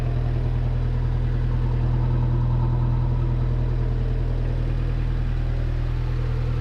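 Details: 1986 Suzuki Samurai turbo diesel idling after injector pump replaced with a rebuilt unit (old pump's front seal failed, leaking fuel): steady, even clatter, smoothest it has ever run, smoke nearly gone, some blow-by from the filter; normal diesel idle.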